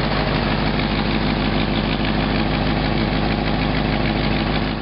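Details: 1952 Packard petrol engine at idle: fast, uneven puffing tick riding on the low exhaust rumble, an exhaust leak being tracked down.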